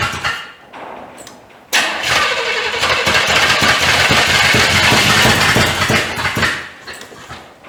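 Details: 1985 Chevy C30 converted from diesel to gas engine, first fire-up with junk carb: runs rough and uneven with loping, stumbling pulses, heavy smoke smelling of diesel; owner suspects only about 3 cylinders firing, checking firing order; misfire.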